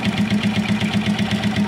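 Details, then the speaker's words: Rusi MP110 motorcycle engine, previously very noisy and clattering, after fitting a new tensioner and spring. Even, steady idle with soft regular pulses and no clatter; runs noticeably smoother and quieter. "Pero dito po sa akin maingay man po yung pickup ng ating camera ay talaga pong iba mas tumining po yung andar hindi na po siya ganon kamal lagatak yung naririnig ni"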